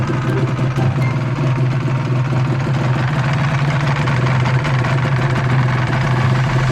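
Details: Restored Honda NSR250R MC21 two-stroke after carburetor adjustment, oil pump check and air cleaner fitted: steady, even idle with low constant drone; dry clutch quiet, probably no problem.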